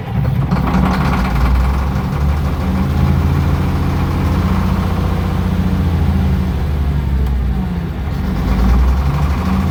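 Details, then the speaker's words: Case 2470 tractor diesel, first run with new batteries on a 70°F day. Rough, wavering idle that sags and nearly dies when throttled down, then catches again when throttled up. Owner suspects it is out of adjustment or has bad fuel. "I throttled it down a little bit, and it went a lot, and I throttled it back up, and it caught back up, and then it's like it's not adjusted right."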